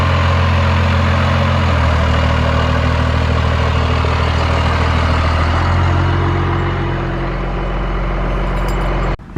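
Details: First-gen dually diesel truck after new starter fitted and fuel shut-off solenoid addressed, very low on fuel: deep even rumble settling into steady idle with no misses, knocks or stumbles; engine running normally.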